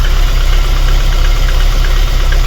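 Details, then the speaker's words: VAZ 21099 engine at idle, lumpy uneven beat, misfiring; compression lost in cylinder four, head repaired (valve seats replaced) some 20,000–25,000 km earlier, not overheating; head to be removed and inspected. "Ну давайте я вам запущу двигун і послухайте як вона працює у нас моя задача як можна бистріше її зробить і щоб машинка була встрою чуємо двигун наш троїть Ось так Він працює"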